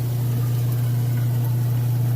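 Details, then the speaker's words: Kenmore washer in final test after 28-point inspection, drain cycle: constant low hum with no grinding, rattle or surging; drain pump getting all the water out normally. "Alright, it's kicking over into the drain cycle now. You can hear this draining."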